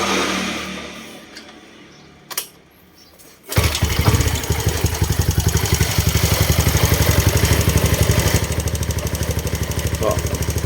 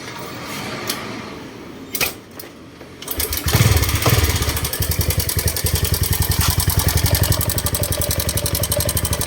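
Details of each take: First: Honda Wave 125 (Dream 125) engine after replacing the weak-springed cam chain tensioner that caused loud clatter: starts and settles into an even idle, quieter, with only a slight rocker/valve tick. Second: Honda Wave 125 engine starting and idling: fast, loud metallic clatter from the slapping cam chain; the cam chain tensioner is bad and gets replaced.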